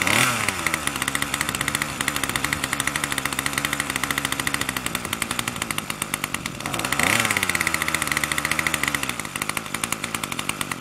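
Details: Troy-Bilt TB2MB two-stroke after a new short block is fitted, primed and choke on: keeps buzzing fast and steady between blips instead of settling low; the throttle cable isn't letting the throttle close.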